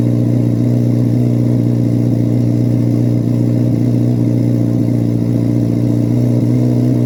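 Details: 2024 Carbon Flash Chevrolet C8 Corvette Z06 V8, cold start in a garage: deep, steady burble at a raised cold idle, even firing, no ticks or knocks; normal, healthy engine warming up.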